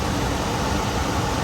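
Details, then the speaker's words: Goodman gas furnace after repair: blower motor kicks on after heat-up delay with steady even airflow rush and smooth low hum, no scraping or rattles; normal blower operation, furnace heating again. "That's why it takes a little while for the blower motor to kick. Now it's on"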